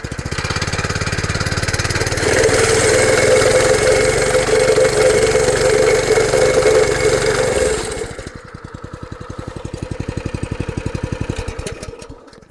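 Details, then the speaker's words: Cheap petrol compactor plate after replacing exciter bearings that had failed from lack of oil: the engine revs up and the plate thumps steadily with no squeal, then winds down through slowing beats. It squealed badly before the repair. "perfect. Before that would be squealing uh making a god awful noise. So happy with that."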